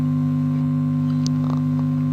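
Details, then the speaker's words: Amplifier with a 4440 dual-IC board driving a woofer mounted in a clay pot; loud steady low buzz that grows as volume rises: mains hum from missing ground. "तो देख सकते हैं इसमें किस तरह हमिंग का साउंड आता है। मैं वॉल्यूम को थोड़ा कम करके बढ़ाता हूँ तो ये हमिंग का साउंड और बढ़ जाता है।"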